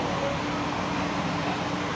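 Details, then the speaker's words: Manitowoc ice machine: an even whoosh of air with a faint steady hum and slight vibration buzz as the fan starts up; fan running normally. "so that's good you hear that fan all right right now it's starting up"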